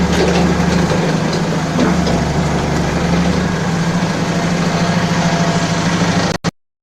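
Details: Balkancar diesel forklift after repair, with engine, clutch, brakes and running gear overhauled. Steady, even idle with a low, smooth beat and no knocks or rattles; the engine sounds healthy and settled.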